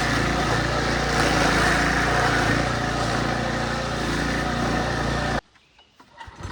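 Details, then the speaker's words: Early-to-mid-2000s Craftsman brush mower, sat 3 years, revived with carburetor rebuild, air filter, spark plug, oil change and strings: single-cylinder engine buzzes strong and even while cutting tall grass, no misfire or surging, then cuts off cleanly; normal under load. "but but anyway it works it's sat for 3 years unused and carburetor rebuild air filter some oil spark plug and she is ready to rip buddy um working great"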